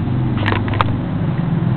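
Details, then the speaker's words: 1982 JCPenney rototiller with a Briggs & Stratton 206cc 5 hp engine, cold start after replacing a broken flywheel key: steady, low, even chug with no knocks or misses; runs successfully; normal running. "so there's the update and there's that sound you all wanted to hear that run successfully and it works"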